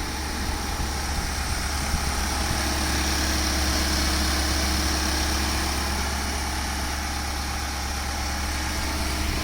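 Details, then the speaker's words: 2016 Infiniti QX80 after a fan clutch replacement for a fan that stayed on: steady, even idle near 1,000 rpm, now quieter with no roaring fan, though the warning light is still on; normal idle. "The revs are all normal. Light still on, but 1,000 RPM."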